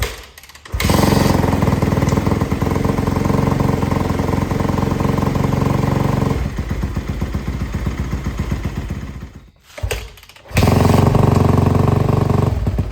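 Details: Yamaha YZ250F first start after removing loose bolts from the engine, old oil for a flush and distilled water in the radiator: single-cylinder thumps at a fast, even idle, briefly stalls, refires and settles with no knocking; normal running.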